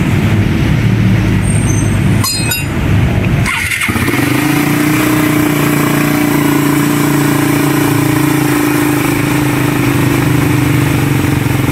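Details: 2019–2020 Raider 150 motorcycle after engine refresh: cranks briefly, catches, then settles into a steady, even idle with no knocks, misses or popping; running normally.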